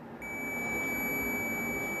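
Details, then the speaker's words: Meter set to continuity range, probes touched together, as a setup check for testing a 3-wire semi-automatic washing machine wash timer. A clean, steady high beep holds, showing a closed circuit: normal continuity beep. "तो इन दोनों को जब हम सटाएंगे तो इसमें से beep की आवाज़ आएगी।"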